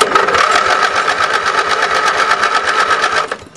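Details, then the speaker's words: Lawn and garden tractor starter cranking during an ignition-switch voltage check: even, quick churning, slightly lazy from a weak battery; normal cranking. "yeah that sounds about right my battery's a little weak plus the draw from the starter"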